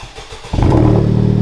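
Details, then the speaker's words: Honda Civic Type R at first start after a Tomei exhaust install: quick crank, clean catch, then a deep, very quiet, steady idle with only the normal Honda engine tick. "oh yeah that's hella quiet that's super quiet huh"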